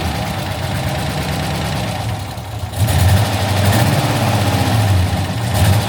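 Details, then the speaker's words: 20-foot Daimler Majestic Major Hemi V8 limousine warming up after start: low steady smooth burble at idle, no knocks or misses; normal idle. "the Rover V8s don't make that sound it sounds really well though very smooth got to warm up a little bit it's a very smooth engine isn't it"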